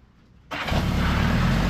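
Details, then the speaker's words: 1975 Honda Goldwing, just fitted with a Dynatek digital electronic ignition and new coils, which the owner said was a little hard starting before: it catches immediately and settles into a steady, full-bodied idle to warm up for about 5 minutes. "it starts immediately the owner said it was a little hard starting before so I'm going to let that warm up for about 5 minutes or so"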